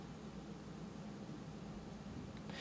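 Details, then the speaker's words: Rode NTG USB-powered microphone with analog output, powered from a standalone USB 2.0 charger: only a faint, even hiss with slight low hum, no whine or buzz; clean noise floor, power source and cable type affect noise. "there's not a lot of noise in there so it looks pretty"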